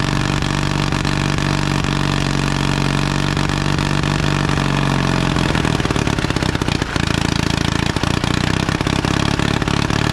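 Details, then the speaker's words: 1952 Caterpillar D2 crawler, pony engine running after restart, diesel cranked over by it: loud steady chug at constant speed, no knocks or misses; pony engine works, steering clutches still frozen. "and now we know the pony engine works and the Diesel's just turned along like it did before"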